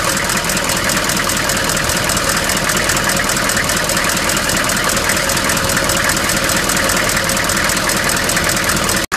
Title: 1994 Chevy Silverado C1500 6.5 TD Knocking Noise